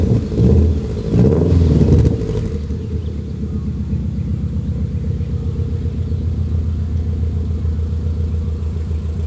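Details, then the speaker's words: 1990s Subaru GM6 Impreza with a single-overhead-cam boxer, after a stage-one restoration: a couple of throttle blips, then a deep, steady, slightly lumpy burble from an exhaust said to pop and crackle, settling into idle. Normal idle. "Beautiful Subaru Boxer rumble. What's interesting is the single overhead cam is actually pretty decent when it comes to like exhaust notes."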